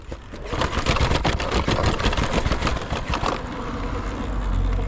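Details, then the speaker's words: E-bike ridden in eco mode up stairs and rough park ground; irregular clattering knocks about four a second over a low motor hum, like something about to fall off. Loose rattle, cause not confirmed. "Bro, you hear this bike? Jeez, bro. Sounds like something's about to fall off."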